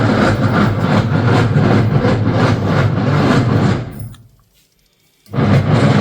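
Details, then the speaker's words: Semi-automatic washing machine's white belt-driven wash gearbox making heavy rhythmic knocking, about three a second, during washing because its gear is slipping; gearbox to be replaced with a new one. "तो यह इस gear box की आवाज होती है। जब इसकी गरारी स्लिप होने लगती है।"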